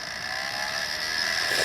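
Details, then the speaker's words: Small centrifugal suction fan (blower) on a radio-controlled Aster Flying Scotsman live-steam loco, drawing air through firebox and boiler before lighting, on a very cold day: steady high whirring hum, even airy rush, no wobble or rattle; running smoothly. "Now air is being drawn up through the firebox, through the boiler, and up out here."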